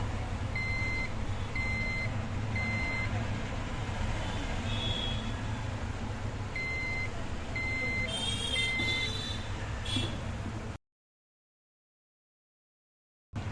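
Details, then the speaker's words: Desktop PC left unused for a long time fails to start: high clear beeps repeat in short groups about every second over a loud low rumble; next step is removing the RAM. "சில time சரியாகாமல் மறுபடியும் அதே மாதிரி beep sounds வர chances இருக்குது."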